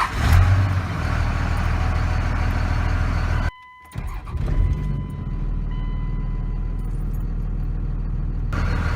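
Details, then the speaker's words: Start of a 2001 Dodge Ram 2500 Cummins 24v diesel at 276,000 miles, manual with clutch down in neutral, after a new VP44 injection pump: starts quickly and settles into a steady, even, smooth idle with no knocks. Healthy. "runs very smooth"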